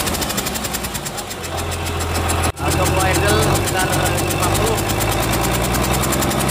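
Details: Komatsu S6D125 diesel on test run after general overhaul (broken No.5 piston, spun No.4 conrod bearing; crankshaft, liners, pistons, conrods, bearings replaced; turbo repaired, FIP and nozzles calibrated); even low beat with air compressor hiss, no knocks or rattles; normal running.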